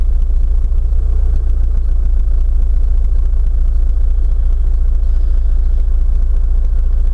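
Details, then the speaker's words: Chrysler Voyager that stalls, demonstrated running from a separate tank: idle thumps unevenly at about 3.5 beats per second, hunting and jerking; fuel starvation because the fuel check valve doesn't hold and leaks back. "вот сейчас я его поставлю для демонстрации посмотрите их она начинает дергаться"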